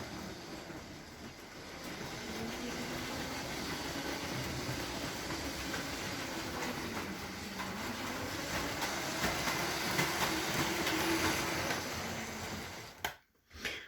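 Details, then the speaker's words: Lego Metro Liner train powered by two 9-volt motors, speed being turned up: steady electric motor whir with rail clatter rising slightly as it speeds up; both motors smooth and healthy. "It runs quite well. It certainly runs pretty good with the two engines on it."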